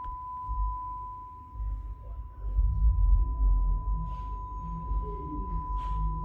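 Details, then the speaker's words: 1938–39 Philco Model 38-4 console radio under repair: a 1 kHz test tone plays clean and steady with no wavering or buzz. The speaker is confirmed working. "now I can hear a1k Herz toone it's very low but as it was cranked up to 25 volts previously it's pretty comparable to that"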